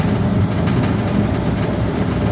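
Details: 59A Ford flathead V8 pulled from the truck: rough, rattly running with uneven knocking; connecting rods found all different lengths and one piston hitting the head, engine needs matched, balanced crank, rods and bearings.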